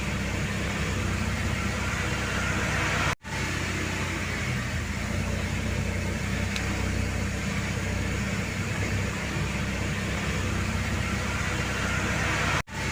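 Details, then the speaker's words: Mercedes-Benz R-Class W251 after topping up low power steering fluid and reassembly: steady even engine hum with no droning or moaning, power steering now sounds normal. "seperti yang kawan-kawan dengar setelah minyak power steering ditambahkan tidak terdengar lagi adanya bunyi yang menga Um pada mesin"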